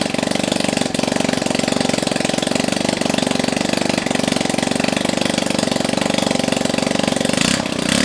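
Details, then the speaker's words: Brother Ruckus scooter engine on its first start in a long time, run with no exhaust fitted: loud raw popping at a steady fast beat from the open exhaust port. It fires cleanly and holds an even idle. "keep in mind that there's no exhaust on this and it's gonna probably sound like popcorn or something popping yep really it just sounds like buttons it'll sound like bubbles popping"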